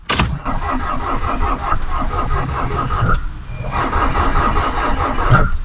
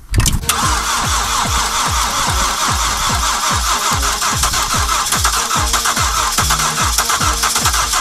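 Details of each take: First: VW Passat on a frosty morning with a weak battery: steady starter churning at about four to five strokes a second, never catching. The 600 A booster lacks enough starting current; roughly 800–850 A is needed. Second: Car left cold and unheated at -30 outside, battery fully flat, started with a booster: brief crank, then catches and holds a steady, slightly lumpy cold idle with even pulses; a sound cold start.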